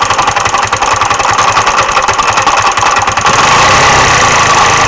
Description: MD 150T-6 scooter sounds like a clatter or knock inside the engine. There is no lack of performance, just the clatter noise.